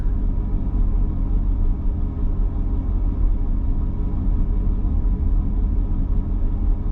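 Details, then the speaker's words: Mercedes C55 M113 V8 being diagnosed for running very rich: deep V8 idle with a slightly lumpy, uneven beat; owner suspects the intake was not fully sealed at the throttle body; rough idle. "it is running a little weird right now but that might be because I might it might have come off the throttle body a little bit cuz I didn't seal it up all the way"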